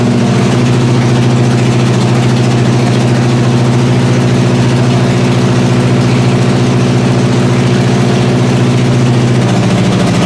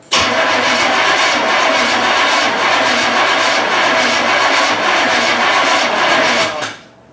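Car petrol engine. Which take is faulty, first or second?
second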